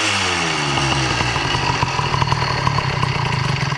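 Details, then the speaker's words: 70cc Minarelli motorized-bike two-stroke with a modified G2 reed valve, not yet fully warm and idling at about 2,500 rpm. The fast idle sags and wavers as if about to stall, then dies. Unstable idle; other causes such as head, squish, plug or timing remain unaddressed. "At the moment, the idle sounds stable, but once I get on it, heat it up, do a pull, let off, I'm curious to see if it'll return to this."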